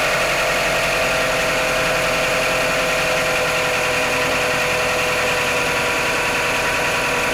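Cold engine idling steadily with a faint, loose tapping running through it at about three per second; the source can't be pinned down.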